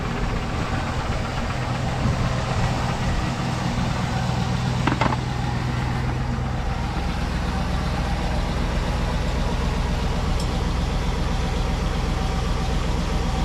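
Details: Cadillac Escalade bought a month earlier that broke down on a turnpike, being restarted to check for drips: steady, even low rumble with no knocks, misses or surges; the engine idles smoothly.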